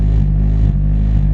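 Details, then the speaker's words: Honda Mugen ES3 (D-series) fast, erratic idle with a low drone wavering about every half second; owner hopes it is a vacuum leak such as a hose, otherwise an idle control valve. "that's how the idle sits at the moment i'm hoping it's just a vacuum leak like a hose but if it is either control valve i have a spare and hopefully that's okay too"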